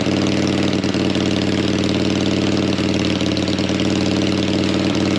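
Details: Harley V-twin, likely the XLCH just refitted with its gas tank, low on fuel: steady, even idle with a regular low pulse, no misses, knocks or rattles; engine running fine.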